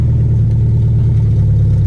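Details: Nissan B14 with SR20VE running open header after the Tri-Y header's bolts loosened and it fell off: loud, deep, raw unmuffled roar with heavy low rumble on a quick rev.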